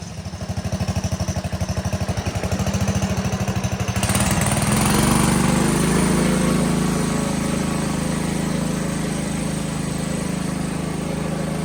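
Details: 1960 Wheel Horse Suburban 400 garden tractor with single-cylinder Kohler engine, restored and running without belt guard or muffler heat shield: steady thumping, then it revs smoothly to an even drone while driving. Normal running.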